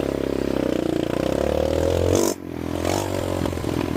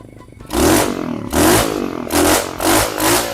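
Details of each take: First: Revived abandoned mini bike with newly fitted carburetor, started first kick for an evening ride: small single-cylinder engine buzzes with pitch rising and falling smoothly with throttle, no knocks or misfires; runs well. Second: Abandoned roadside mini bike revived with a newly fitted carburetor: short throttle blips about once a second, each burbly and slow to clear; engine running rich (a little fat).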